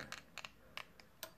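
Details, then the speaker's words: Sika paddle flow switch for a Grant/Worcester Bosch Heatslave boiler, tested off the boiler on a multimeter: crisp light clicks in quick pairs as the paddle is flicked; switch snaps cleanly on/off, new replacement working. "will say a deflection - I knew that the switch is working on off on off on off"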